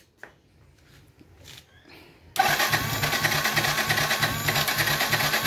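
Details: Yamaha FZ16/FZ 150 motorcycle, hard to start in the morning, especially when cold: quiet fumbling, then the engine catches abruptly and settles into a busy, uneven idle; reluctant cold start.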